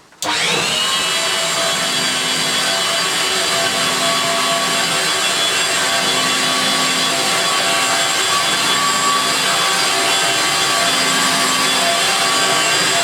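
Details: Refurbished Electrolux Twin Turbo Z522 vacuum on carpet after refurbishment: steady, even high-pitched whine with soft stiff-brush hiss, no beater-bar pounding, higher pitch than the 500 series; runs healthy.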